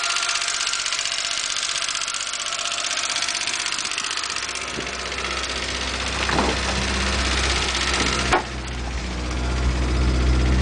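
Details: Porsche 924 petrol engine ticking at idle, a light regular tick about four per second over the steady hum; owner reports a weird engine noise.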